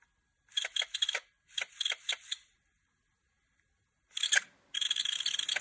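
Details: PSP UMD drive making short high-pitched screeching bursts as the disc spins up and reads. Moving the laser does not cause it, so the owner suspects the UMD disc or a failing UMD spindle motor. UMD drive motor squeal.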